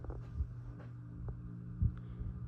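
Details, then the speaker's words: Ceiling fan running in reverse in a cold basement spare room: low steady drone with soft pulsing throb and occasional thumps; owner suspects the hum comes from the side-mount box used to replace the old plastic box. "could hear it hum is pretty bad I think it's something with the mounting because I had to use some side mount box"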